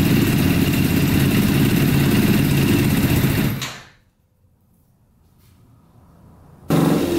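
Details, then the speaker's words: Custom Yamaha Banshee with a 600cc four-cylinder sport bike engine, all plugs sparking and fuel flowing through the filter: rough, uneven, lumpy revving that dies and restarts. Only the two outer cylinders are firing; the carburetors are suspected. "all right looks like only two cylinders are running the two outer cylinders are running"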